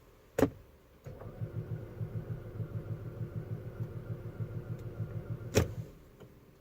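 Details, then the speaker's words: 2012 Audi Q5 with code P0016 and EPC and engine lights, bought 7 days earlier: the engine cranks evenly for about four seconds but never starts; the owner suspects the crank/cam sensor or a stretched timing chain. "you can tell the engine rotates but it doesn't start"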